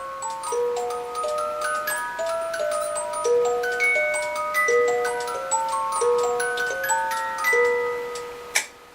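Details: Restored Regula 25 cuckoo clock after cleaning and timing: steady even ticking under a bright plucked music-box tune; movement keeps clean time, music plays smoothly, all healthy.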